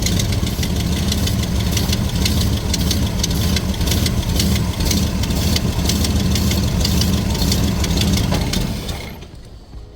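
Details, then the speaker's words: A 1968 Ford Mustang restomod V8 running again on a working carburetor gives a lumpy idle with a sharp puffing tick on each exhaust pulse, then dies from lack of fuel. The tick is an exhaust leak near the headers, thought fixed before. "yeah no fuel so I guess I better go throw some gas in the back of this thing but it's running again the carburetor seems to be working pretty good I do hear an exhaust Lake which I thought I fixed that that's not good"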